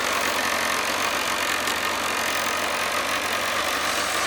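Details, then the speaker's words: 2007 Kawasaki ZZR600, carbureted, 12,457 miles, cold start on choke at about 40°F: steady, even idle held a little high, no misses or knocks, idle picking up as it warms; normal cold idle. "So, that's it running. You'll hear the idle picking up as it warms up."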